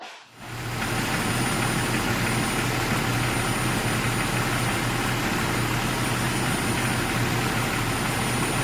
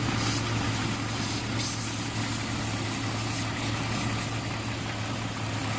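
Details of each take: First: 2001 Jeep Cherokee idling with a thin, steady high-pitched whistle from air sucking through a leaking vacuum line, found by spraying water on lines; vacuum leak. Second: 2001 Jeep Cherokee after the high-pitched whistle was traced, by spraying water, to a leaking vacuum line. Steady, even idle hum with no persistent high whistle: the intake sounds sealed and the engine idles normally.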